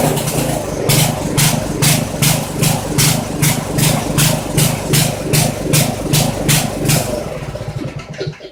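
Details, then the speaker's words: Poulan 900 rototiller single-cylinder engine, restarted after checking oil, suspected governor issue: chugs in uneven bursts two to three a second, then sags and dies; owner decides carburetor needs rebuild or cleaning. "we definitely got to rebuild the carburetor on this little fella at least take it apart clean it and reassemble it"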